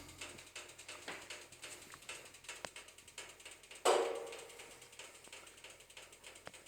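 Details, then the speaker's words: Propane space heater just switched off with the pilot light off: faint irregular ticks, then one sharp ringing pop as the hot metal contracts while cooling; normal. "and you'll hear that popping sound that's normal because this this metal heats up and then it's contracting back"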